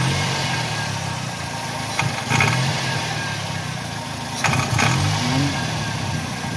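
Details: 2000 Toyota Corolla: engine idles, then revs twice with a raspy, puffing edge rising and falling with the revs; suspected exhaust leak, not confirmed.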